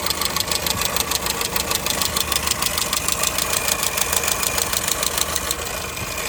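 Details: Engine knock at idle on a 2002 Skoda Fabia: sharp, regular knock about three per second over a steady idle, clearly from inside the engine; cause unknown.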